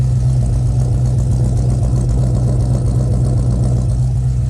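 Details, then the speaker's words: Cold idle of a supercharged V8 with SRT Max Plus cam and 2.9 Whipple supercharger, just installed; idle speed adjusted so it stays running, steady deep even beat with no misses or knocks, still checking for leaks: normal cold idle. "all right so here it is running sounds really nice idle speed i think i was able to adjust it so it can stay on"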